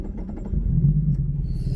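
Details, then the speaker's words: Lotus Evora with blown engine, blowby on cylinder 5, after a year sitting, driven out of weeds: deep uneven low rumble that bogs and labours under load, never clearing up. Blown engine struggling under load. "she's struggling I think I'm stuck hold on that might have been out that that might be my engine getting out"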